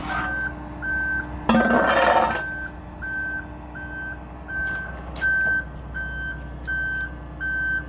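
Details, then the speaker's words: Aerial 498 aerial apparatus, outriggers switch on at the access panel, deploying outriggers: steady high beeps about every 0.7 seconds over a low hydraulic hum. Outrigger operation warning beeps, working as intended. "You come to the access panel and you come to the switch which says outriggers on. You'll hear the beeping. This operates your left outriggers, so you'll bring it out."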